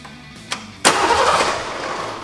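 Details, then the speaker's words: 1989 Ford Mustang GT foxbody with no-crank no-start after intake manifold work: starter solenoid jumped with a screwdriver gives a sharp click then strong normal cranking, leaving clutch safety switch or ignition switch as suspects. "that was definitely a crank. So that basically eliminates everything else in the system."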